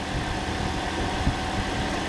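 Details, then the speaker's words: Toyota with a freshly installed replacement engine, just restarted (already primed) before coolant is added and bled, no engine lights, fan possibly on for the A/C: steady, even low idle with no knocks or rattles; normal idle. "That sounds gorgeous. Started nice and easy because it's already primed"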